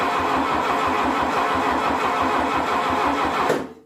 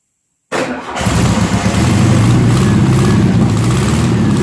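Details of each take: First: 1972 VW Beetle 1200 engine, laid up for decades and test-run sitting on a tire: even starter churn about three and a half beats a second, no firing. Spark is present, but the carburetor is not drawing fuel. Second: 1972 VW Beetle 1200 flat-four, 48 years old and laid up for decades, run sitting on a tire after fuel was squirted into the carburetor: it cranks briefly, catches at once and settles into a steady, even idle with no misses or knocks.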